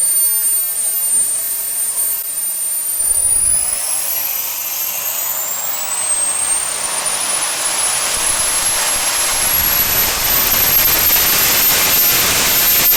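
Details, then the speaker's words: SWIWIN SW220B micro jet turbine on test stand, first raw factory-settings startup at about -24°C; rising whine climbs, pauses, climbs again, hanging on fuel ramp because tank vent plug was left in, restricting fuel; fuel-starvation spool-up hesitation. "it hung a little bit on the fuel ramp now that's my fault i forgot to take my vent plug out of my tank so it was restricted sucking fuel"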